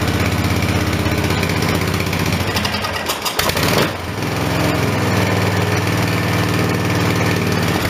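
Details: Briggs & Stratton 14.5 HP OHV single-cylinder engine running after the spark plug was regapped: uneven chugging, then a sharp pop and dropout before it catches again. Backfiring and rough running continue; the magneto looked out of square.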